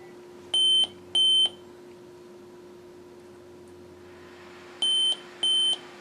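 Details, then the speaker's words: Computer failing to start gives two pairs of sharp high BIOS beeps, a pause, then two more, a repeating 4-beep code indicating a RAM fault rather than the motherboard, before reseating the sticks one by one. "code all right and through my research before I know that that particular code is indicating that it is still a ram issue it is not a motherboard issue"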